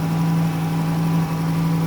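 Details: 2011 Dodge Caravan 3.6L, 81k miles, after soldering in a replacement TIPM internal fuel pump relay; smooth steady idle with constant low drone, no stumbling, ticking or hunting; normal idle.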